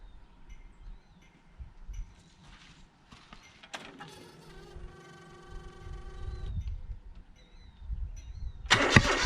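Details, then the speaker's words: John Deere X485 mower, fuel full of water: starter whirs and engine turns over but never catches; briefly ran about five seconds on a dribble of gas; crank no start from water in fuel. "put dribble a little gas in there and it fired off and ran for about 10 seconds and then quite actually not even 10 seconds probably like five seconds and quit so i believe that i have a fuel problem"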